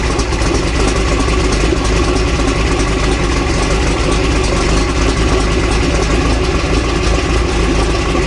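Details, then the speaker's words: Toyota 22RE four-cylinder dually truck after Redline Beast Cam install, new alternator (startup squeal gone), valve lash and timing reset: even, steady idle, smooth low rumble, no squeal; runs clean, owner worried about possible head gasket damage. "um i would say overall you know butt dyno is telling me probably about 15 horsepower added um you know which is quite a bit for um you know 22 reinforced so it could be more could be less feels good sounds pretty good"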